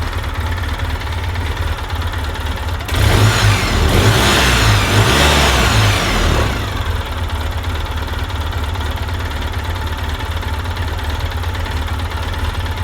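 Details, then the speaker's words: 2006 Polaris Ranger after a teardown for low compression, injectors still suspect and coolant not yet burped: a steady idle, then a quick three-second rev that drops cleanly back to an even idle; runs good. "it's running good every time I rev it these little nests fall out of everywhere"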